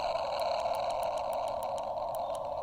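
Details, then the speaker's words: New portable radio's small built-in speaker, CW reception with volume turned up too high: received tone turns harsh and crackly; speaker overdriven and splattering. "The volume button is up here, the buttons. See, if I turn it up too much, it kind of splatters."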